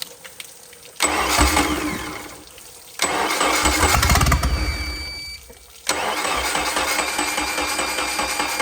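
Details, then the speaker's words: Mercruiser 3.0 marine petrol engine on jump pack, just after water turned on (rusty water out): cranks and catches in three rough, stumbling bursts, a new misfire not present before; oil to be checked for water mixing. "we added water you could hear the mire that's not a good sign didn't have a misfire before"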